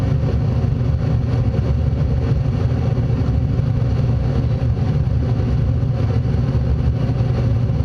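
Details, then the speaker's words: Furnace blower fan running after the inducer, igniter and flame sequence; a steady low rushing hum, even and unbroken, with no rattles or scraping, furnace working normally. "So, that's the fan came on and ran. So, everything on this furnace is working fine."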